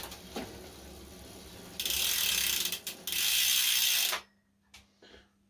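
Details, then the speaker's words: Santa Cruz Bronson mountain bike in the workshop after drivetrain cleaned, loose cassette tightened and chain lubed to cure a creak: crisp even freehub ratchet clicking as the cranks spin and coast, no creak or grind; drivetrain healthy, much improved. "okay great so singing nicely i'm just giving the gears a bit of a tune up and uh lube the chain and stuff make sure that's all happy it's much better than it was"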